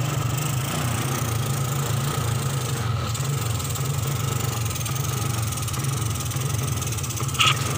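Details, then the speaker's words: 2003 Suzuki Smash 110, hard to start: dry, uneven popping, gelepak-gelepak when throttled, like fuel starvation but drier; low charging voltage starves the CDI, so the ignition misfires and stumbles under throttle. "Jadi untuk berbet di kelistrikan itu mirip seperti telat bensin, cuma dia agak kering suaranya ya. Kalau di gas seperti telat bensin seperti ini, gelepak-gelepak ya."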